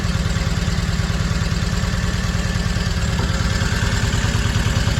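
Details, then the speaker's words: Triumph Spitfire idling: lumpy, uneven idle with stumbling thump; misfire because a spark plug lead came off. "Oh, one of my plug leads has come off, that's why."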